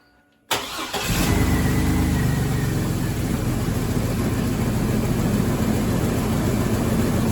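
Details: Chevrolet S-10 with good compression: it cranks, catches and settles into an uneven, lumpy, stumbling idle. Rough running is caused by a fuel injector stuck open; the scope shows no pintle hump on its waveform.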